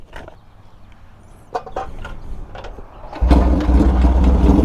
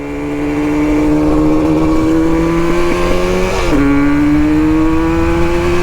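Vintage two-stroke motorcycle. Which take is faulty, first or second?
second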